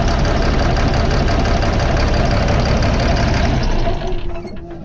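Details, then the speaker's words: 2005 Fleetwood Discovery, Cat C7 diesel, low power, max 60–65 mph: heavy lumpy idle with missing pulses, then shut off and winds down; cylinders 5 and 6 misfiring from bad injectors, later replaced. "there you have it number five and six not working"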